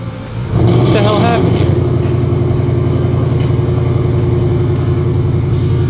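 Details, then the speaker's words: Turbo V8 that made 10 psi of boost on the transbrake the night before, after a throttle pedal change and fuel pressure lowered to 40 psi: it revs, then holds a loud, lumpy, uneven drone instead of a clean pull. Rough running under load. "I put it on the training brake last night made 10 pounds of boost no issue now it's running half stupid"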